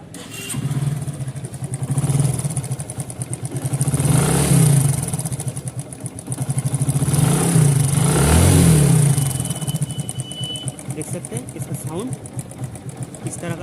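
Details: Motorcycle after new timing chain: light, rapid metallic clatter over idle that swells with each throttle blip; cam chain tensioner failed, causing the rattle.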